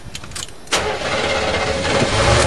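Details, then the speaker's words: Chevy truck with gasoline 350 V8 after draining diesel-contaminated fuel, restarted after shutdown: short crank, catches at once and settles to an even steady idle; repair successful. "yeah it'll restart shut her down you know just try to restart right now"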